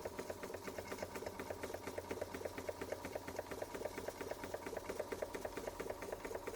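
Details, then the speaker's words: Bing 130 382 Poppit model steam engine, recently modified, just lit with the pipe warming. Quick, even chuffing with no stumbles or knocks, and condensation can be heard going up the water-filled chimney. Normal running. "There she goes. There she goes. You can hear that condensation going up the chimney."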